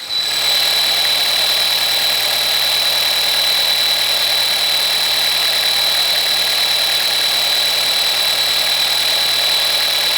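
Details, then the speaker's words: Audi A4 engine idling with a steady high whistle and airy hiss from a leaking PCV/air pressure diaphragm; gets louder as the engine heats up while driving, and stops when the oil cap is opened, with strong suction felt. "now this sound will get louder uh as you drive the car as the engine get hotter and when you release the when you open up the oil cap the noise will go away and you can feel like there are a lot of pressure uh sucking in"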